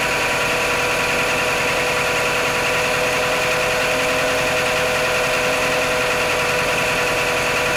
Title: Mitsubishi Outlander 4g63 - knocking sounds on cold start